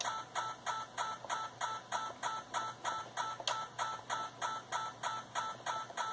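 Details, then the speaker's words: Yaesu FT-891 transceiver in receive: sharp steady clicks about three a second from computer CAT polling, same repetition rate at higher baud rate and unchanged when retuned in 500 kHz steps; manufacturer says radio meets specifications. "it still occurs at the same rep rate which is the computer interrogating for commands it occurs no matter what Center frequency I have set in the radio"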